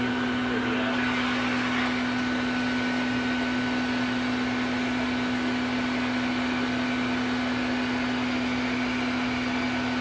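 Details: 1990s Health Mor Elektrapure canister vacuum with a fitted HEPA bag, switched to high speed: steady mid-pitched motor hum that never climbs higher, because a circuit board fault keeps it from reaching top speed and leaves middling suction.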